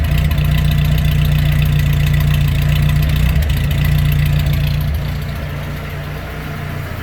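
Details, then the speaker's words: Pre-war Austin 7, warmed up, running after its SU carburettor needle was modified from number 3 to richer number 5: small four-cylinder running steadily with brief dips; mild hesitation, mixture likely still not right. "it's not too loud but I spoke a bit of hesitation"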